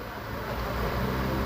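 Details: Nissan March after replacing faulty EGR motor and clearing the code: steady, even idle hum with no misfire stumble or knocking; engine runs smoothly, check-engine light gone.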